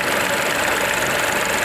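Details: Ford EcoSport 1.0 petrol three-cylinder at idle, check-engine light on and code P0301: uneven, lumpy idle with a stumbling beat and heavy engine vibration; cylinder 1 misfire, wiring to be checked first, root cause not yet found.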